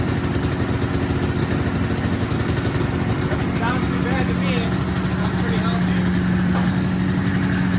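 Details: 1979 Yamaha SRX snowmobile two-stroke on first start after fuel and cooling system work and fuel pump issues, cooling system hooked up: steady, even idle with crisp regular beat, no misses or knocks; normal idle.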